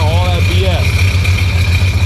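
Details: 2005 Sea-Doo GTX engine after water got into it, running during the rebuild with oil being siphoned out: an uneven low throbbing run with a thin whistle as it coughs and burns off the water.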